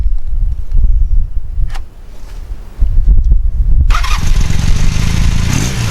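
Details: All-original 1981 Honda CM400C twin motorcycle fired up at idle: low, steady thump with no knocks or misses; healthy running engine.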